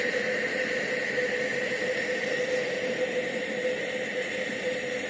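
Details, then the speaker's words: Circa-1925 Coleman No. 2 camp stove, burner just lit after preheat with gas running through the generator and manifold: a smooth, even roaring hiss with no sputter or surging. Normal burner, which turns blue once hot. "And when it gets hot, it'll be a nice blue flame."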